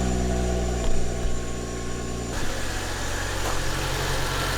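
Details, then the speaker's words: BMW E93 335i, N55 engine, after new spark plugs and ignition coils to cure a misfire on three cylinders: smooth, even low idle with steady beat, no stumble or miss; normal idle, misfire gone. "oh yeah works fine it looks like it's working"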